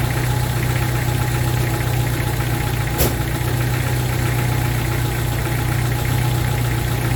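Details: 1995 Jeep Wrangler YJ 2.5L four-cylinder after fuel injector replacement and fuel rail reinstall: steady even idle, slightly fast, smooth low hum, no misses or knocks; check engine light went off, normal idle.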